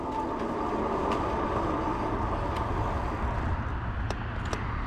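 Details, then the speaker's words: Cyrusher Ovia fat-tire e-bike with 270 miles, braking to a stop on a trail: tire rumble fades with no squeal from the disc brakes, which were quieted with a CRC treatment. The disc brakes are quiet. "But I tell you, you can hear as I'm stopping here, you don't hear these brakes squealing at all."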